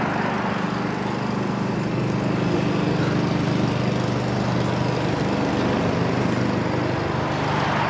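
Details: Honda-powered Billy Goat at about 21–22°F, running after a choke and cable adjustment got it started: steady small-engine drone with a fan rush over it, even and unbroken under load; healthy running.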